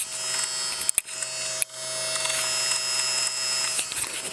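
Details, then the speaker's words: Innocraftsman mini drill press, run up to speed with the mic close: steady motor hum with a fine gritty rasp on top; gritty running noise, possibly internal gearing, unconfirmed. The unit also overheated during use. "but bring it up again and you can hear a little grittiness there."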